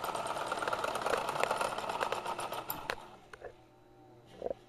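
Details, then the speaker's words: Broken Kenmore Sears sewing machine repowered with a 3/4 hp motor, run far past factory RPM: fast, rough buzzing clatter for three seconds, then chokes off abruptly; binding and stalling at high speed, owner suspects it needs oil. "Uh-oh. I think it might need some oil. That was the culprit right there."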